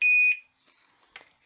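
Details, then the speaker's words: EVGA GTX 970 graphics card, multimeter in continuity mode with probes in the power connector: a single short high beep of about a third of a second, which is fine and means no short. "this short noise is totally fine but it shouldn't sound like this which would be a short"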